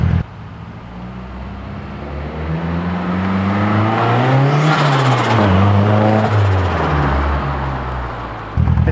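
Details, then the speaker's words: Boosted (turbocharged) 240 with a wastegate spacer, first drive: the engine climbs cleanly through the gears, then drops off at lift with a nice blow-off flutter and no knocks or misses. A healthy boosted pull. "it actually sounded good though yeah if flutters really nicely too"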